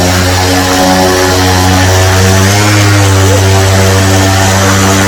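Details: SP140 electric paramotor, new, armed in sport mode on its first run-up: steady, even motor hum and propeller drone holding a clean pitch with a slight rise under throttle; healthy electric drive.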